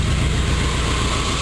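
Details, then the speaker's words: 1976 Corvette V8 with one exhaust pipe removed, after readjusting the carburetor: low, steady rumble at a smooth idle that has settled lower than before, no stumble or misfire. Normal idle. "I just readjusted the carburetor and um it sounded pretty good it was kind of walking around a little bit but now that I readjusted it it sounds good and it's actually idled down lower than it was just a few minutes ago"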